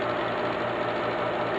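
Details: Pellet stove exhaust blower motor after replacing bad bearings, core glued and held with a strap, running two days straight: smooth, even whir with no rumble or bearing growl, quieter than before; normal blower running.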